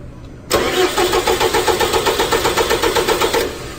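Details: 4.4 common-rail engine disabled from starting, cranked during an S-terminal voltage drop test reading about 0.5 V, slightly over limit: even, steady cranking, about four compression pulses a second for three seconds, not firing; starter turns it over healthily.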